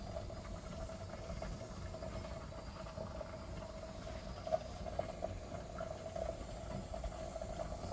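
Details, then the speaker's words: Pressure canner with chicken drumsticks venting steam for 10 minutes before the weight goes on (15 psi for the altitude); a soft, steady hiss with a faint constant whistle and occasional small spits; normal venting. "It's venting."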